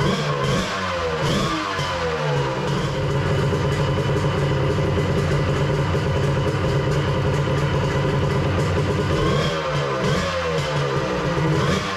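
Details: Three-cylinder two-stroke 1100 engine, reassembled with a Zeeltronic CDI and a different stator: runs clean and even, rising smoothly through brief blips without misfire or popping.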